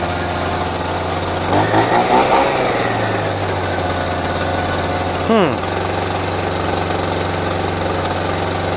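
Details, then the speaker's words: Champion 23C two-stroke string trimmer with its trimmer-head guard missing, started on dribbled-in fuel. Catches on a buzzing idle, surges and wavers, then dies and won't restart; it seems to have run out of the primed fuel. "does it cut well probably and then it dies. That is bizarre. Just randomly dies and then then it won't start again."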